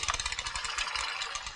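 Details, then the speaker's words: Bicycle with SRAM Red Yaw front derailleur, pedalled with the rear shifted to the largest cog while adjusting the inner limit screw: light, repeating scraping in time with the cranks as the chain rubs the front derailleur cage. Fix: back off the screw until the rub stops. "then we need to shift the rear derailer up into the largest tog you see how it's rubbing there in the front"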